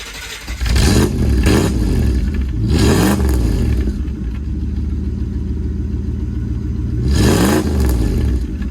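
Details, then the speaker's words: 1963 Buick Special with aluminum V8, after new exhaust from muffler shop: engine catches and blips up with deep clean burble, no pops or backfires, with some loud transmission whine noted; normal exhaust note. "I think that sounds pretty good just a little bit uh that transmission in this car don't know why the Transmissions are so loud but it seems to be a common thing uh so you can hear that like whining that's what that noise is"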